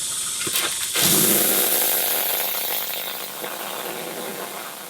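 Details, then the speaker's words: Steamer fogger on a 100-series steam cleaner, steam at mid setting, fogger at lowest adjustment: sharp pop, then steady hissing rush of steam settling into an even spray as the venturi pitch changes, drawing disinfectant normally. "if you listen to the change of the pitch you're going to hear steam then you're going to hear the buzzing noise of the cleaner getting sucked up through the venturi in the"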